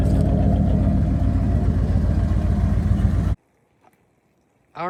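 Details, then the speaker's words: Truck "Colossus" V8 after tune-up, slightly chilly start: loud raspy idle stays steady with no miss, then shut off; exhaust very loud and crude from hacked system. "It doesn't seem like it has that little miss or anything. It sounds good, but the exhaust is absolute trash on this truck."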